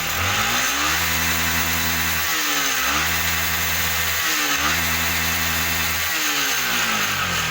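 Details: Yamaha R15 with stuttering problem, after regulator replacement (charging read 17–18 V before, steady 14 V after): engine idles smoothly and blips up cleanly three times, running steady and even.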